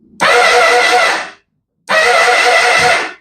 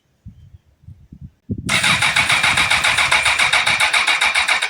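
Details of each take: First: 2005 Honda CBR1000RR, rebuilt engine just installed with oil, fluids and battery, starter fitted by mechanic: two presses give a high, even whir with no compression beat, starter spins freely without turning the engine; starter clutch or improper connection suspected. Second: Comparison bike, kill switch off: light clicks, then starter spins the engine with an even chuff about four a second, showing healthy compression; normal cranking.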